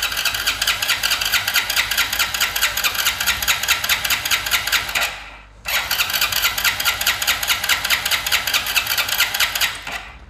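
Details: BS6 motorcycle converted to run without its fuel pump (BS4-style experiment): starter cranks in a fast even churn with no catch, pauses, cranks again; engine won't fire, likely fuel-starved.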